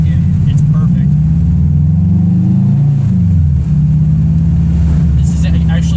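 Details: 2002 Subaru Impreza WRX with a newly installed DNA Motoring turbo-back exhaust. A deep, smooth rumble swells evenly as the revs rise and fall, with no rasp or drone: a healthy exhaust note.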